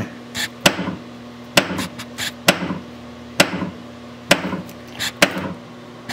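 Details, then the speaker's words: Williams System 6 Scorpion pinball with bad driver-board transistors, in solenoid test: solenoid 14, the knocker, gives sharp, solid single whacks about once a second, each crisp and clean: normal knocker firing. "okay 14 is a knocker"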